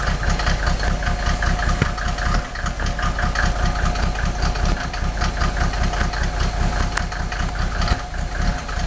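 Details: Mercedes OM603 diesel, cold start: lumpy idle with irregular heavy thumps around a hundred a minute, cylinders missing; smoke drops only with injector lines 2 and 6 cracked, glow plugs tested fine, still rough warm; cause unconfirmed.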